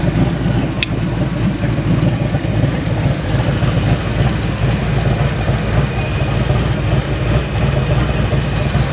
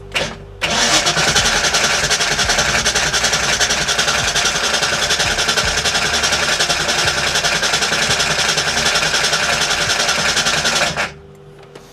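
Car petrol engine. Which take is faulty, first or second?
second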